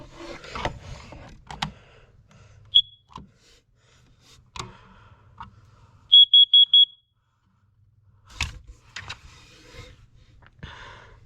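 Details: Carbon monoxide detector in the upstairs hallway, December test: a single chirp, then four quick high-pitched beeps amid handling noise; normal CO alarm test pattern.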